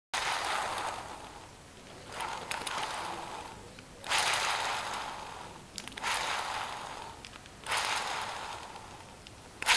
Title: LOOP nymph W grinding noise